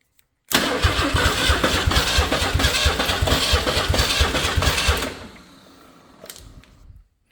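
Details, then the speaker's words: Ford 300 inline-6 truck engine after new pushrod and mechanical fuel pump; even starter cranking about three turns a second for four seconds, never catches; no-start with no spark because not all ignition wires were hooked up. "Spark. Why do I have no spark? Guys, I'm not going to have a spark if he doesn't hook up all the wires."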